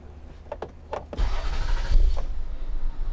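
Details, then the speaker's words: 2001 Toyota Sienna with crank-no-start after the owner cleaned underneath, after fitting a new 15 amp fuse that had blown: a few quick cranking bursts, then catches within about a second and runs steadily; clean start. "let's try to put a brand new fuse in there let's see if it cranks over 15 amp fuse"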